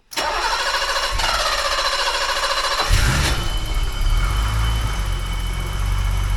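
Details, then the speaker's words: 1985 BMW 635 CSi with intermittent no-run electrical trouble, first start after fixing ground wires: a quick crank, then it catches right away and settles to a smooth, even idle in neutral with no misses or knocks. Healthy start. "Sounds pretty good. I think all those ground wire things helped it out everywhere."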